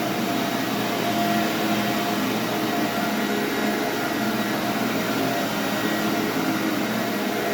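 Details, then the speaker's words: SC Johnson Vectron (Iona) vacuum, originally a commercial machine, first power-up after unboxing: smooth steady high whir with no rattle or wavering, Ametek-style Phantom sound; possibly the original motor, running normally. "Sounds like a Phantom. It's got that um signature kind of whirring and Ametek motor sound."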